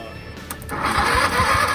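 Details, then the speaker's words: Kohler V-twin garden tractor sat about a year, borrowed weak starter, fresh fuel, solenoid jumped, now on 1,000 cranking-amp battery: solenoid click then brisk, even cranking about five beats a second; strong cranking, engine starts. "sounds better. She's alive. Oh yeah."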